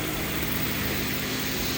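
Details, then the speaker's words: Engine idling warm at normal temperature, steady even hum with no knocks or misses, after compression was restored from 60/30/20/60 to about 155-160 psi by adding oil to each cylinder after long sitting; running good. "Just gonna say real quick that this engine right here is running good. Everything's working"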